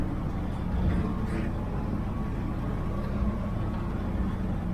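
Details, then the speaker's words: 1969 Chevy van, off the road 35 years and unstarted for a week, at high idle after a cold start: an uneven rumble with a buzzy shake through bare sheet metal; owner suspects the door latches. "So everything's vibrating. This, I'm pretty sure it's the latches."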